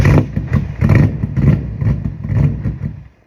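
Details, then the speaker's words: BMW E30 swapped with M60 V8, rusty fuel tank sending about 30 psi to the fuel rail: uneven lumpy firing about one beat a second stumbles and dies within three seconds; starts but won't keep running. "currently I have a video clip of what it's doing it starts but dies"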